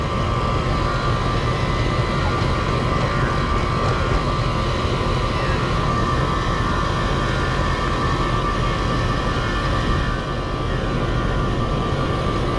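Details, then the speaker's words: 4-ton HVAC unit with R-410A, leaking microchannel coil, no-cooling call, pressures about 211/92: compressor runs with a loud, rough, constant harsh droning hum, sounding strained; noisy compressor, cause not confirmed. "It doesn't need much. My compressor sounds horrible."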